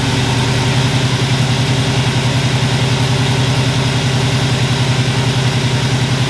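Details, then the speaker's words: 1977 Chevy Nova small-block V8 after advanced ignition timing: steady even idle with regular firing pulses about three and a half per second, no misses or knocks; normal idle. "now i mean you literally just turn the key it fires right up exactly like i had it before"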